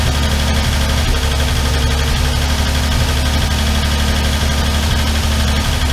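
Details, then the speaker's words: Armstrong Siddeley Star Sapphire special, hemispherical head, cold on choke just after first start in probably over 40 years: steady idle with fast, light ticking over a low drone. All tappets a bit loose and need resetting. "And um reset all the tappets. They're all a bit loose."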